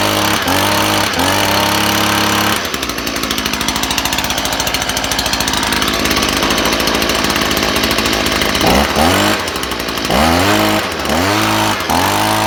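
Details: Stihl leaf blower small engine after clearing a clogged spark arrestor that had smothered it, run with the arrestor left out: picks up cleanly, revs up and down several times, then holds a steady fast buzz without stalling or bogging; normal running.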